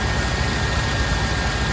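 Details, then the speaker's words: Chevy C30 square body Mason dump V8, revived after an under-hood fire: steady low rumble at idle with an even beat and no misses or knocks; it runs smoothly. "She's sounding good though. Very happy with the way this thing runs, and at least now I'll be able to pull it in and out without any hassle."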